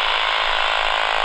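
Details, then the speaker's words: AM radio held near a Flymo 1200R robot mower boundary cable close to the base station: fast, even buzzing pulses come through strongly; cable carries a normal signal here while a break elsewhere is being traced. "so if we turn this radio on you can hear the noise and if i move it near the cable you'll hear a change in [Music] tone away [Music] so it's very strong here because that's the source electricity"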